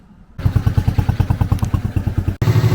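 Even, steady putter at roughly six beats a second with no clatter or stumble; this little single runs clean and healthy.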